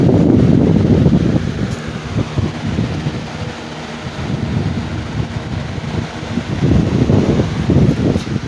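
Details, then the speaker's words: Box fan used outdoors, fitted with a longer cord, on high speed: loud rushing air with a low pulsing whoosh that rises and falls; just noisy air whip, operating normally. "yeah these box fans are noisy and i hate them but um they make really good outdoor fans"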